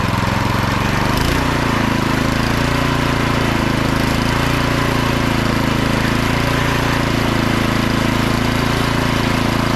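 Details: About 10–12-year-old Craftsman 247.889571 snowblower, given away as a non-starter, first start after service: small engine catches after a second and settles into a steady, even chug with no misses or surging; auger and self-propel drive work; running healthy.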